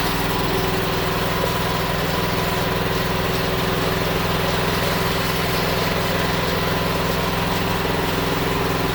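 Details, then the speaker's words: Honda GX390-powered generator that sat about a year and wouldn't start, after fuel system cleaning: steady even drone with no stumbles or surging; it now runs cleanly. "okay so it was a success so i'm just going to fill it up with a fresh fill some fuel stabilizer"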